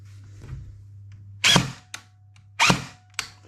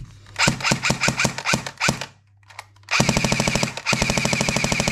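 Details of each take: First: Brand-new JG SIG 552 airsoft AEG on a 7.4V LiPo, two single shots with a harsh screeching grind of gears over room hum; an incorrectly shimmed gearbox, fixed by reshimming with no new parts. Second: JG Sig 552 airsoft AEG on a 7.4 V LiPo, after shimming the gearbox and a full service (it screeched badly new out of the box): crisp single shots, then even full-auto bursts around fifteen cycles a second, a healthy gearbox.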